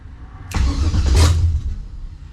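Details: 1970 Monte Carlo LS swap with new ACES Jackpot LS EFI, initial startup attempt after fuel pump primes. Starter churns about a second with a deep rumble but never catches: crank, no-start.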